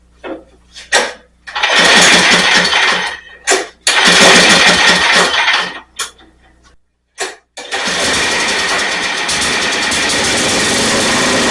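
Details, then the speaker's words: Rear-engine Snapper mower, sat in a field for years, carburetor worked on, air filter element refitted. Several short catches that die out, then ragged hunting that keeps trying to stall. "it didn't run well. It's kind of kept trying to stall out. I played with the carburetor a little bit, doing the adjustment. Couldn't really get it any better. It's definitely running way lean."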